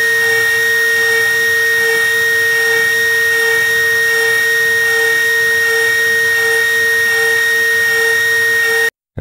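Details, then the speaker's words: OpenBuilds MiniMill CNC router cutting aluminum with a 1/8 inch end mill using helical ramps: steady high spindle whine with an even cutting hum and no chatter or bogging; the cut is clean. "This is still a similar cut, but you can really see like, oh wow, this is not struggling in any way. Like, even with these helical ramps down into the material, it's just no problem."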